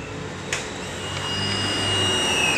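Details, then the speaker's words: Honda Beat FI that starts hard and stalls, key on: a thin, steady high whine for about 1.5 seconds, then it stops. The fuel pump primes normally by ear; the fault is traced to the injector. "nah normal kan kita ini ndak pakai alat cek e tekanan ya pakai pendengaran aja ciptaan tuhan"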